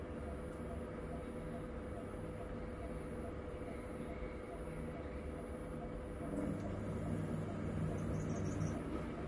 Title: Máy giặt xài rất tốt đang giặt tự nghe tiếng kêu két két gì ko biết